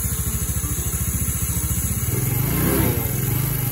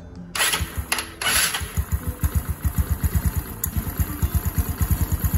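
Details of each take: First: Restored Yamaha Mio scooter at idle with front cover off: fast, rough, regular rattle that eases as revs rise and returns when revs drop; noisy one-way starter clutch, slightly quieter after lubricant such as WD. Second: Yamaha Mio Nouvo scooter after replacing the noisy one-way starter part: steady, even putter about two beats a second after startup, no chatter or rattle from the starter; quieter than before the fix.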